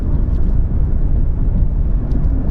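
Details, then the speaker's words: Nissan 370Z driving at 40 mph: steady low rumble and hiss with no knocks or tones, the road noise owners often mention. Normal tire road noise. "don't know if you can hear it. I'm going 40 miles an hour, and it's definitely there. It's not something I would just ignore."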